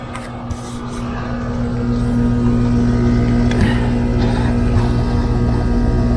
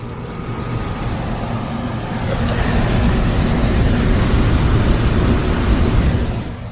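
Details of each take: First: Home HVAC indoor blower fan after the dual capacitor was replaced, with the compressor running. Steady low electrical hum with a slow, weak rotation; the blower motor turns very slowly and sluggishly and is failing. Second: Home HVAC indoor blower fan after motor replacement. A low, airy rumble builds, then holds steady with no squeal or rubbing; the blower is running smoothly and moving air.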